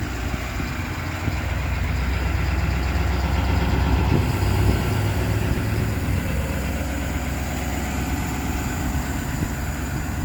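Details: 2019 Ford F550 service truck, 6.7 diesel, 111k miles: steady low diesel rumble at idle, even and settled with no knocks or misses; healthy idle.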